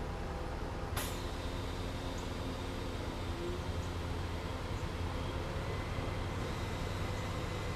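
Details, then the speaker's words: 2005 Porsche Cayenne Turbo air suspension compressor running while adjusting ride height, at lowest setting: steady low hum with a faint even buzz, no rattles or knocks; compressor running normally. "So that was the operation of the uh air suspension and you can hear the compressor going."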